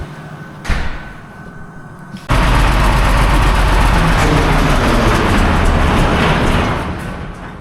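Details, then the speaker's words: Combine/farm engine just given oil and fired to move it: quiet, then catches with a loud rough roar, runs about four seconds and winds down to nothing; stalls after starting, cause unclear, owner hopes out of fuel rather than locked up. "Why did it die? Out of fuel? Okay. Hope so. It didn't just lock up, right?"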